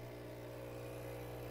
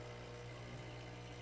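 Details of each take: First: Profitec Pro 600 Quick Steam Plus dual-boiler espresso machine, initial fill: a steady low buzz with a strained edge from the vibration pump, likely caused by air trapped in the pump. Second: Profitec Pro 600 Quick Steam Plus dual-boiler espresso machine, first startup, force-priming by lifting the reservoir to burp air out: steady low vibration-pump buzz, tone changing slightly then even, no sputter; pump primed and pushing water normally.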